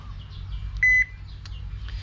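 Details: Repaired Toshiba washing machine control board, fixed by jumping a single wire after the relay failed to engage (turned on when pressed, died on release): single clean electronic beep and the board stays powered; normal operation.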